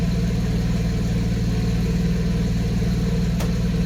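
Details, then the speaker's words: 1991 Mercedes 190E after hydraulic lifter replacement: steady low idle, even exhaust pulses about three per second, no ticking; earlier lifter tick gone, each cylinder firing evenly; normal idle. "see like it humps equally like each and every singly you kind of can hear each and every singar firing so yeah I mean I'm happy with the result"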